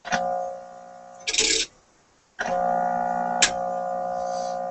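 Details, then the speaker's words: Sparton 99A tube radio during IF alignment near 453–455 kHz, no antenna connected: a steady buzzing tone with overtones cutting in and out of the speaker, caused by the ungrounded signal generator and cured by grounding it. "Could be from lack of grounding of the signal generator. Okay, that's what it was."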